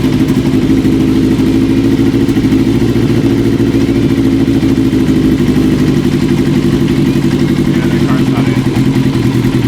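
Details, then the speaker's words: 1980 Kawasaki KZ750 at idle: fast, steady idle with a faint irregular stumble. Wintergreen-softened carb boots still leak air between boot and manifold. The vacuum leak remains and new carb boots are needed. "it made it a little bit better unfortunately it didn't soften it up enough we're still having some leakage between the car boot and the manifold"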